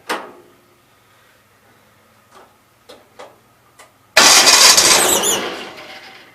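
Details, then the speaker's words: Gravely 450 with Onan CCKA, oil gauge temporarily plumbed in, about 35-40 psi oil pressure: a few clicks, then engine catches with a harsh high squeal over the running clatter; cause unconfirmed. "okay hopefully you guys saw that but had 40 pounds of oil pressure definitely you guys can hear the squeal it has"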